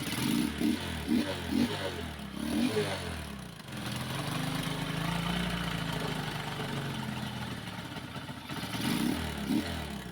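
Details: Kawasaki Boxer motorcycle converted to a Lifan 110 4-pin AC-type CDI, previously running rough and dying; now revving cleanly and settling to a steady run with no stumbling or hesitation, though running low on fuel.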